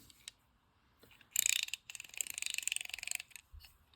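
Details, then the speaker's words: Garcia Mitchell 307 spinning reel just cleaned, lubricated and reassembled with the side case refitted: a quick run of sharp, evenly spaced, loud dry clicks as the handle turns; the anti-reverse was almost silent before. "that doesn't sound good oh yeah that's anti-reverse wow you couldn't hear it before it was almost silent before"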